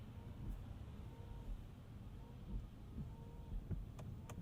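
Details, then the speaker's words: 2026 Acura MDX Type S driving on a rainy suburban commute: the rear wiper motor makes a faint, rough whirring sweep about every second and a half over low road rumble; a very noisy rear wiper. "Oh, that just sounds like the saddest wiper motor ever."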